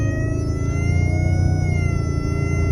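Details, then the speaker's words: 2023 Toyota Tundra while driving: thin high whine over the engine rumble, apparently from the windshield-area speaker, growing louder when accelerating and decreasing when not on the throttle. "I'm speeding, as you can see, as I'm speeding, accelerate that noise is coming in. It seem like it's coming from that speaker. That's where it sound like it's coming."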